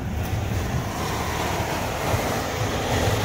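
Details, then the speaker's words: Four-ton variable-speed air handler with blower set too fast: loud, steady rushing roar from the vents, measured about 1000 feet per minute; fan speed needs lowering. "I can hear these vents I can hear it hear that they're rocking let's check this one whoo thousand feet per minute"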